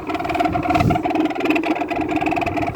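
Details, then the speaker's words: 2000 Whirlpool window air conditioner, neglected two years on a porch, running with coil hot: rough, warbling mid-pitched hum over strong airflow from worn fan motor bearings. "the air movement coming out of this is actually pretty nice wide discharge vents too yeah these bearings are not are not in the best of condition"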